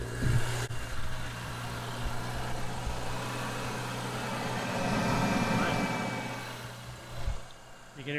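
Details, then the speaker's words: Audi B9 SQ5 just after Integrated Engineering cold air intake install: engine catches and settles into a steady, even idle with a noticeable suck of air from the intake; sounds healthy. "can hear it sucking pretty good. Well, you can at least hear the blow off."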